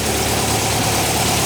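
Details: 1959 VW single cab pickup under restoration, freshly installed engine just started and warming up: steady, even air-cooled idle with a soft low thrum, no knocks or misses; normal, healthy idle.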